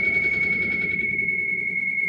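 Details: Brastemp Ative 11 kg BWL11 washing machine spinning washed rugs. A piercing, steady, high-pitched whistle over a soft low churn during the spin; source of the whistle unknown.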